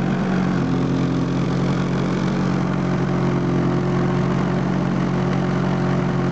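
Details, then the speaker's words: 2005 Polaris IQ Fusion 900 two-stroke snowmobile, 3726 on the meter, crankshaft clutch taper broken off, no clutch fitted; steady buzzing idle a little high without hunting, owner suspects crank seal leak from damaged taper: high idle. "engaged it's idling a little high"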